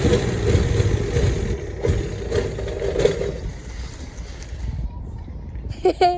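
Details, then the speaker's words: 1972 Chevrolet Constantia (Holden) after bleeding the brakes: uneven, lumpy engine note with no steady beat that sags and dies when the brakes are applied; rough running and stalling. "oh they it dies when I apply brakes it dieses"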